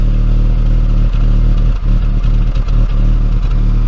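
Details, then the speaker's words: BMW E39 5 Series petrol engine idling at first start after sitting three years, steady but stumbling every half second or so: small misfire, later traced to a vacuum leak; no knocking, no coolant leak or smoke. "no coolant leak so far no white or blue smoke coming out of the tail p P but I can certainly hear a small misfire"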